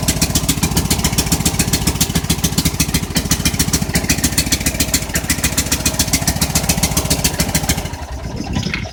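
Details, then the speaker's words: Snow blower left running with choke stuck on during a cold start in snow; fast, steady popping beat as the small engine runs rich and busy. "I leave it running cuz it's uh stuck on choke"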